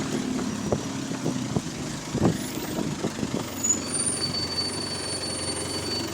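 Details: GAL SEN18 diesel bus on route 386: sharp, uneven puffs about two or three a second over the engine note, a suspected slight exhaust leak.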